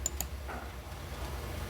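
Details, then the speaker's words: 2018 GM truck 5.3 with code P0446 and hard tank filling, key in run: sharp, dry clicks as the EVAP vent solenoid is commanded on and off by a scan tool; the solenoid was later replaced. "we should be able to hear it clicking it's quiet in here not venting is on venting is off so I think we're going to try see if that uh it's it's physically clicking you can hear it"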